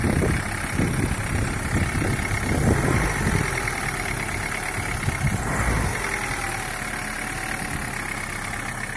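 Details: Daewoo Nexia 8-valve engine, cold idle, knocking for five years and getting slightly louder, owner says from the crankshaft: uneven rapid knock over the idle, clearest in the first seconds, a bottom-end engine knock.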